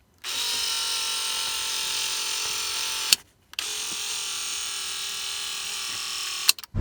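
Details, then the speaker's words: 1989 Toyota Van's original driver's side power window motor: a high buzzy whine for about three seconds on each of two strokes. The worn motor is noisy and struggling, especially when closing, and was replaced. "So you can see how that was a much noisier window and it was really struggling."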